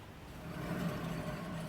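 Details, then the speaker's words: 2005 Smart ForFour, driver-side front wheel spun off the ground: low, steady rumbling hum rising with rotation, a worn front wheel bearing. "Hear that noise? This bad boy bearing is gone."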